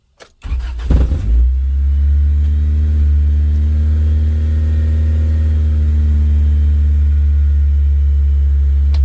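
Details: 1988-91 Honda Civic after installing a fuel pump kill switch, started with the switch on following the relay click: short crank, then it catches and settles into a steady, even idle with no misses or knocks.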